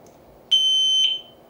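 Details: Kovix U-lock with built-in alarm, armed, moved: a sharp, high, piercing half-second beep that fades out; anti-theft motion alarm triggered.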